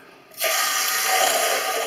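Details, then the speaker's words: Toilet cistern: sudden onset of steady hissing water flow that holds constant as the float drops and the fill valve refills; used to find which seal leaks; cistern refilling. "Quand il n'y a pas assez d'eau, le flotteur descend, il se remet à niveau. Et ça fait du bruit quand ça fuit."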